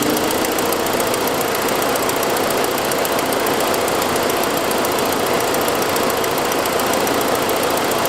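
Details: 2006 Saab 9-5, noise that followed an earlier louder turbo noise: quick, even, sharp puffing ticking over a steady idle, caused by an exhaust leak from a broken forwardmost exhaust manifold stud, not lifters.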